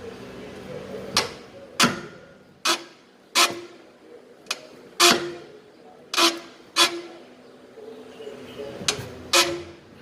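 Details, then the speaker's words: VW SpaceFox, car off, body rocked to mimic a speed bump: sharp rubbery creaks and squeaks about once a second from dry sway bar (stabilizer) bushings, one each side; bushings to be removed. "você passa na lombada que faz esse movimento amortecedor ó escutaram o barulho que ela faz"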